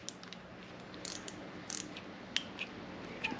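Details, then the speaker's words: Leydun Usopp BFS baitcasting reel, steel star drag being turned: sharp, light ticks at an uneven pace, roughly one per second. The drag clicker works normally. "Ouais, il est clicker le frein. Le frein de combat donc."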